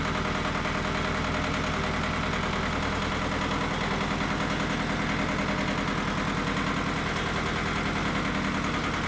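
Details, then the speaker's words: Mitsubishi MT372 diesel tractor: steady unbroken clatter about three beats a second; idles smoothly and runs fine. "Yeah, at least gonna fire up and stay running. Maybe."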